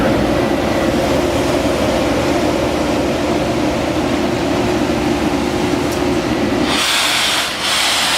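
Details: Ingersoll Rand SSR 40 hp rotary screw air compressor, 30,824 hours, on 460 V three-phase power: loud even roar with steady low drone, no knocks or surges; running normally.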